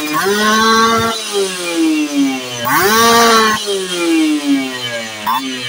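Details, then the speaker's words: Two-stroke motorcycle (Ninja R series mentioned) after pilot-jet/main-jet tuning, revved from 1000 rpm idle; slight midrange difference, pulls well again at the top around 6,000-7,000 rpm; revs sweep up and fall back smoothly, no bog: normal two-stroke rev-up. "Ketika nanti buka gas ada sedikit berbeda di putaran tengahnya terus kemudian diputaran atas itu bisa nusuk lagi bisa Enak lagi tadi sekitar di 7.000 RPM"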